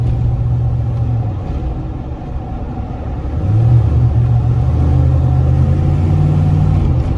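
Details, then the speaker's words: 2004 Silverado 6.0 with 312,000 miles, rear axle regeared from 4.10 to 4.56 and rebuilt to cure noise: deep engine and road rumble pulling away, no gear whine or howl; quiet rear differential. "she is quiet as can be heck yeah"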